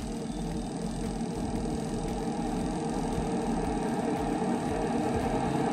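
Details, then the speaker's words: LG WP-1650ROT washer, spin tub previously banging loudly, tested empty after repair and reassembly: a steady, even whir with no knocking against the cabinet. Normal spin, stable with no wobble. "แปลว่าไม่แกว่งแล้วนะครับค่อนข้างมั่นคงเลยครับ"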